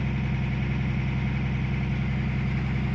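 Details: Caterpillar 345 excavator diesel after ECM replacement for intermittent up-and-down acceleration (error 36-268-2); even steady idle, firm low pulse near 160 a minute, no hunting; no error codes, running right.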